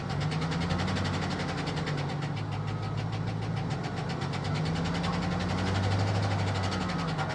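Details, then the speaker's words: Salvage-auction vehicle that sat a long time, run on jumper cables with oil pressure present; a steady low drone with a faint, irregular tapping that persists through a light rev. Possible engine knock, suspected but not confirmed. "Ooh. That almost sounds like a knock. Look, all this stuff is falling back in the dash. Guys, that don't sound healthy."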